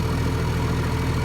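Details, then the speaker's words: International 1255 XL six-cylinder diesel tractor after head gasket replacement and valve lash adjustment (clicked slightly before); fuel turned up a little; even steady idle, quick regular beat, no clicking or missing, running like a sewing machine: normal idle. "oh yeah listen to that absolutely running like a sewing machine"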